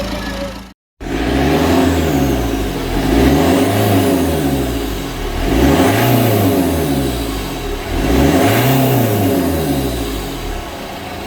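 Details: Berlingo HDi turbo diesel, revved after Lucas EGR/turbo cleaner treatment and an earlier near-runaway from black liquid pooled in the intake: four clean blips rise and fall smoothly back to idle with no runaway.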